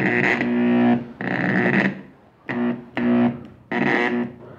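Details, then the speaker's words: Truper router with a suspected electronic board fault: short bursts of a steady electrical hum with buzzing overtones, each cut off, never spinning up; it only hums and vibrates at every speed setting including maximum. "vamos a la máxima la misma falla amigos solamente zumba vibra pero no termina por arrancar"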